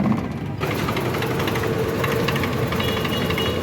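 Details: Suzuki Wagon R (2015 or 2017 stated) with misfire, hesitation and stalling: uneven, stumbling idle with irregular clatter and shake, checked with a scanner; misfire traced to clogged fuel injectors.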